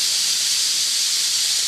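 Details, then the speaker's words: Homemade steam safety valves being set; loud continuous rushing hiss of steam venting at a steady level as the valve lifts and discharges: normal safety valve lift. "there she goes it's going to go boom I love it pop pop that pop I love it brings tears in my eyes"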